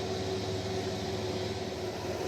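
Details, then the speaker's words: Dakota 9.25-inch rear axle with tires off the ground and drums off: steady high-pitched whine in forward gears only, quiet in reverse, unchanged after a differential oil change; worn ring and pinion suspected. "it's only making this bloody racket in the forward gears have already changed the differential oil but that didn't quiet it down"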